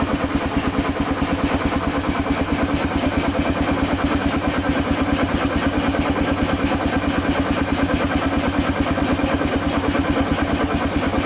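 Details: 1895 Bates Corliss steam engine, 14" bore x 36" stroke, 10 ft 9000 lb flywheel: even regular chuff about 90 beats a minute, no knock; only steam leaks remain, possibly a broken steam chest pipe.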